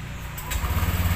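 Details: Honda Click scooter, six years old, restarted after the weak battery was replaced: one quick starter whirr, catches at once and settles into a steady, even idle; healthy start.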